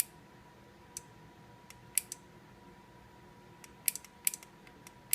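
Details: KitchenAid mixer, DC motor plugged back in: faint irregular clicking over quiet hum, relay chattering; failed 470 µF electrolytic capacitor in power supply.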